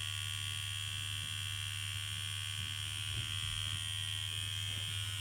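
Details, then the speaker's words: Freshly built Immortal Innovations KillerBee rotary tattoo machine with cartridge fitted, on a Critical CX1 G2 power pack: low buzz with a steady thin high "duck whistle". This is the normal running-in noise, which fades within minutes and returns only after a strip and rebuild. "So we'll fire the machine up. I'm going to put the cartridge in. It's quite noisy. It sounds like a duck whistle or something."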